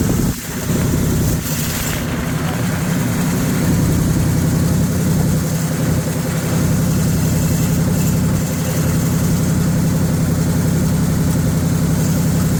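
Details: 1978 Chevrolet K20 V8 first start after sitting for years, carburetor suspected junk: deep steady rumble held fast without dropping or missing; runs clean but idles far too high.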